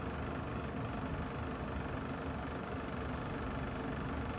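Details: Kolin aircon under a year old: continuous low buzzy rattle under an even running hum with no letup; something loose vibrating in the unit, source not pinned down.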